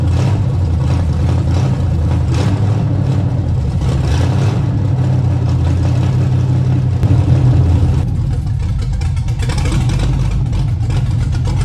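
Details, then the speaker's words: LS-swapped Ford LTD Crown Victoria V8 with an aftermarket cam, first fire-up with no O2 sensors yet: deep, choppy idle with an uneven loping beat, steady and strong; healthy lopey cam idle. "guys we got a little idle action first fire up that's bad ass start to hear that old El and Cam and are the old sloppy stage"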